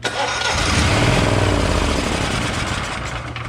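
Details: Generac XG10000E portable generator after sitting about a year on bad gas: starter churns steadily at about three to four turns a second without catching; a failed fuel solenoid and gummed carburetor, later fixed by solenoid replacement and carb rebuild.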